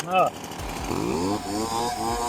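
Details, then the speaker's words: STIHL BR430 backpack blower two-stroke after hydrolock repair, now on and running and no longer filling with gas: revs up and settles back cleanly with a crisp, even note, no stumble or bog. Normal running. "Easy peasy. We're on and running. It's not going to fill up with gas anymore and become hydrolocks."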